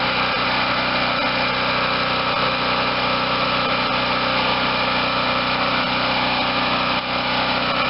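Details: Garage-sale Wen 4050 generator after new carburetor and speed adjustment to about 60.5–61 Hz; engine tight and little used, no electrical work needed; loud, steady, even drone at constant speed, no surging, misses or knocks, running healthy.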